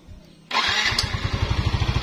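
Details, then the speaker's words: Used Yamaha X-Ride motorcycle with a harsh mid-engine noise traced to low engine oil: starter whirr, engine catches at once and settles into an even idle; noise gone, normal start and idle. "ya suaranya hilang Jadi benar gara-gara oli yang sudah sedikit ya kita coba Nyalakan lagi"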